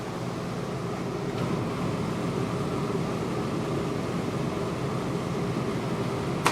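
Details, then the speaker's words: New Furrion Chill 14.5K BTU rooftop RV AC cooling, set to 75: smooth steady fan rush and low hum, no rattle or wobble; much quieter than the old 12-year-old Coleman Mach 3, whose motor had developed vibration. "there we go she's fired up so very quiet compared to the old coleman mock it was kind of getting old and the motor on it was kind of getting a little bit of vibration to it and stuff"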